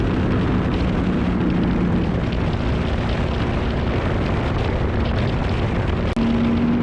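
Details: Petrol engine after replacing all spark plugs and installing a new coil to cure a misfire: pulls with a steady, even drone and no stumbles or uneven beats; misfire gone, normal running.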